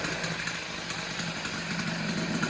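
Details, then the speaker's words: Honda Dio stunt-build two-stroke engine, early startup with aftermarket intake, new carb and new top end, exhaust not yet changed: fast, even burble at a steady idle without hunting or misfires; runs cleanly. "Okay, so that's with the aftermarket intake, the new carb, the new top end, not the exhaust yet, but seems happy."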